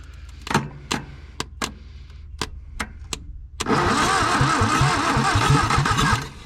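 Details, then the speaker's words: 1962 Hillman Minx abandoned 40 years, intake removed, fed with carb cleaner and gasoline: several slow uneven cranks, then it catches and runs lumpy before dying; fires readily on carb cleaner but runs badly on gasoline. "see that she'll hit right off that dadgum carb cleaner but boy it hates the gasoline"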